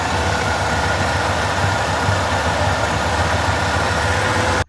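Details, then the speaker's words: 1988 Ford F150 5.0L V8 with the ECT sensor unplugged, after earlier long cranks and rough running. It fires right up into an even, steady idle with no hunting until shut off. The idle sounds smoother, implicating the ECT sensor. "If you unplug it, it'll crank right up. Let's see. See? Fires right up. Even sounds a lot smoother."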